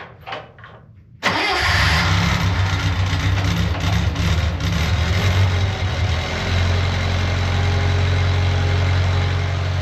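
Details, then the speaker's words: Budget Bobcat skid loader, about a year into ownership, in under 20-degree cold: a brief crank, then it catches and holds a steady, even low rumble at idle while warming. A normal cold start. "Pretty cold out, I don't know, under 20 degrees, so we'll let this warm up a while."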